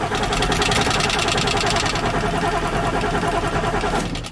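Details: 1995 Ford F-series 7.3L Powerstroke diesel, manual with AC, wouldn't start after sitting two months: starter churns about three and a half beats per second for four seconds, engine never catches; crank-no-start traced to failed injector driver module.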